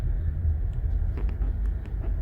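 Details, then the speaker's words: 2019 Honda Pilot driven slowly over a grooved ramp: low road rumble with short dull knocks over bumps, heard on the front passenger side; a bushing is suspected rather than a sway bar link or loose bolt. "it sounds like it's on the passenger side cuz every time I hit the bump it makes like a th"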